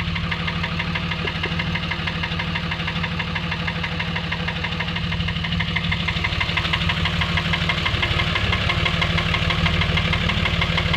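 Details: Steady knock at about three per second over the idle on a Dodge Ram engine, even and unchanging; bottom-end knock of unknown cause.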